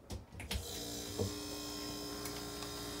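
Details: Whirlpool WRX735SDBM00 refrigerator with a cooling fault, compressor relay plugged back in with the control board bypassed for testing: steady low hum with an even fan whir, no clicking or cutting out; compressor and fan running normally, so the control board was found faulty.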